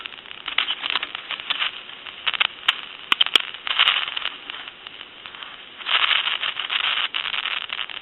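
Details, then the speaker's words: Touch Tone Brass Majesty telephone under test, old carbon T1 transmitter shaken with dial tone on the line: hissy, crackling rush in bursts with sharp pops between. Noisy carbon transmitter static, to be replaced with an electret microphone. "here that static sensation so these are very noisy is basically what I'm trying to show you"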